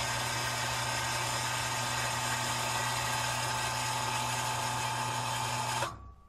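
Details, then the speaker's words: Solar-powered shallow well pump restarted after a year unused, no priming needed: even, steady motor hum at constant pitch with no knocks or surging while refilling the tank. It then shuts off cleanly at about 50 psi, running healthy. "all right well the system is performing properly and i think it's set for the season"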